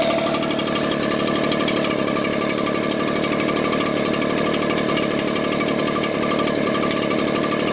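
Small two-stroke buzzing at idle with a slightly uneven, lumpy firing beat instead of a clean steady hum; rough idle.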